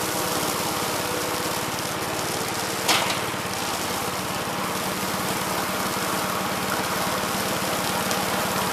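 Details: 1969 Gravely C8 walk-behind tractor, single-cylinder engine fired up in the morning after repairing its no-high-range fault (worn ring found): steady, even putter at constant speed, no knocks, misses or grinding; running well.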